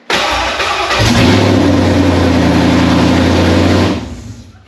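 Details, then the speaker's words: Junkyard Ford Coyote V8 swapped into a 1989 Foxbody Mustang restomod, first fire: engine catches quickly and settles into a steady, even rumble with no misses or knocks; healthy start. "oh God yeah that sounded sick"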